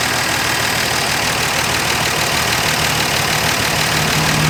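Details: Dodge Dart Swinger (A-body Mopar survivor) with 225 Slant Six and single-barrel Holley, just revived after sitting: steady even idle, smooth exhaust note, no knocks or misses; pulling clean gas from tank, fuel line good, motor sounds great.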